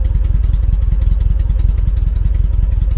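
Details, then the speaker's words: 1974 VW Beetle air-cooled four with Weber IDF carbs and a blocked idle jet, idling: lumpy, rocking idle with a heavy thump about 2.5 times a second; one cylinder dead. "last four engines get very unhappy when they're not idling on four cylinders you can see it kind of rocking back and forth they just get on balance now i'm gonna pull the hd leads off start number three cylinder"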